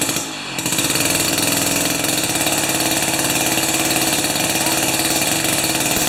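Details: Jiffy 30 2-stroke 3HP ice auger on 30:1 fuel after J19LM plug swap: fast steady idle buzz with no stumbling; at idle the bottom shaft stops turning, idle considered set.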